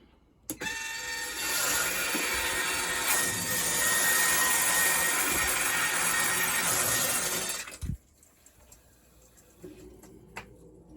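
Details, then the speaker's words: Whirlpool water softener whose motor kept spinning, after resetting the time and starting a manual recharge: motor whirs steadily about seven seconds then stops cleanly; regeneration appears to be working. "it sounds like it's doing something it stops spinning so hopefully it's working"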